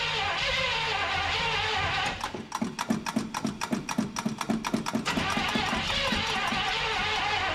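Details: 1975 Chevrolet C20 squarebody, not run in nine years, primer bulb squeezed: the starter churns the V8 over evenly, about three and a half turns a second, but it never fires. Fuel starvation; the accelerator pump isn't delivering.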